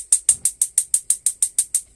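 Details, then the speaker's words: Swift Basecamp Plus caravan gas hob being lit while pulling gas through the system; crisp, sharp igniter clicks about six per second, ten or so in a row, then they stop as the burner lights. The igniter is sparking normally. "As I press it down, you'll hear the igniter clicking,"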